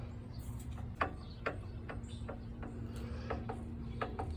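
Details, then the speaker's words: Kohler single-cylinder garden tractor engine turned slowly by hand: faint sharp uneven clicks; owner suspects a wiggly camshaft or worn gear tooth; knock heard at low rpm, gone at higher rpm. "See, that's the sound that's been concerning me for a bit. Don't know if you can hear it. Because when I run the engine on low RPMs, I hear a little bit of a knock"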